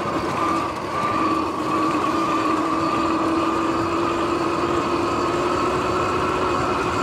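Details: Sur-Ron X electric bike on an early evening ride, before the noisy bearings were replaced: a constant whine with a rough, hissing rumble underneath while riding, from worn, noisy bearings.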